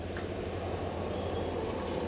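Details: LG twin-tub washing machine that wouldn't spin dry, after repair: even, steady low hum with no knocks or scraping while the spinner runs; spin-dry working again; normal spin.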